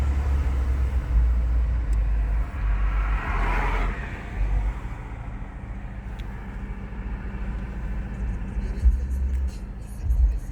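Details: BMW E46 320d diesel idling below 7 °C with heater on: low rumble rising and sagging unevenly instead of holding steady; hunting rough idle, cause unknown.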